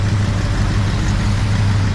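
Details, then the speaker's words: 1966 Pontiac Catalina 2+2 barn find, sat 15 years, newly fitted 421 V8, first run, warmed up, about 30 psi: steady, even low rumble at idle. Runs smooth, though the owner feels a slight miss. "car is running smooth deposi still feels like it has a miss a little bit"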